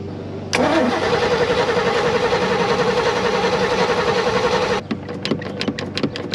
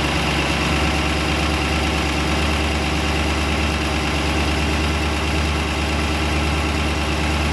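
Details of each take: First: 1991 Malibu Competition ski boat, brand-new built 350ci Chevy V8, first start on the water after long dry storage; catches and runs about four seconds with an uneven loping beat then cuts out; owner says it runs rich, carb idle needs adjusting. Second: New built 350ci Chevy V8 (~350 HP) in a 1991 Malibu Competition ski boat, first run: steady, even idle with a constant low rumble and no knocks or misses. Healthy normal idle.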